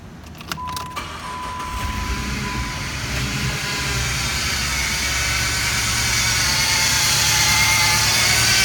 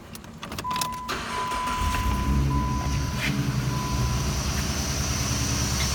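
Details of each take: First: 2006 Jeep Grand Cherokee Laredo: right after the engine starts, a loud whine rises above idle from the serpentine belt tensioner pulley, which feels grinding inside when turned; worn tensioner pulley bearing, noise gone after tensioner replacement. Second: 2006 Jeep Grand Cherokee Laredo after serpentine belt tensioner replacement: engine starts and settles to a steady, even idle with the former loud whine gone; belt drive sounds healthy.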